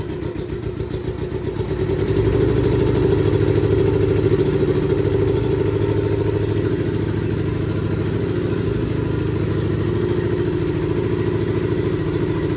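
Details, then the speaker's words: Budget turbo Hayabusa build on first start, fuel pressure just above 3 bar: uneven, lumpy idle with a missing beat that roughens on a blip; one cylinder dead, traced to faulty spark plugs. "Sounds like we've got a dead block."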